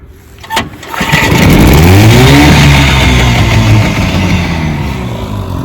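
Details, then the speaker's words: Restored 1957 Johnson 10 hp QD18 outboard with rebuilt carburettor and magneto, on the lake, accidentally in gear: one pull and it catches at once, revs up and settles into a steady, even two-stroke run; healthy start. "Yeah, it started right up. Had it in gear. Beauty, beauty."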